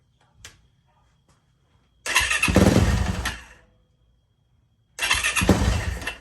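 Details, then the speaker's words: Auction Yamaha YZ450F first start attempt with fuel pump heard, no throttle hooked up: catches twice, revs roughly about a second, then dies; owner suspects air in the fuel system or a sensor not plugged in; starts but won't stay running. "I might not have a sensor plugged in right either that's chasing air out of the fuel system"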